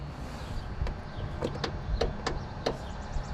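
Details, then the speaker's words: Newly bought lawn tractor that won't start, battery good at 12 volts: several sharp single clicks a few tenths of a second apart, no cranking; solenoid engages but starter suspected stuck or dead. "you can hear the uh excuse me the solenoid it's working wondering if uh that starter is stuck she said"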